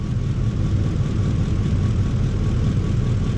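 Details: 2004 Ford F150 5.4 3V with a flashing check engine light and cylinder 8 not contributing: deep, lumpy uneven idle, with the engine shaking badly. Ignition coil misfire.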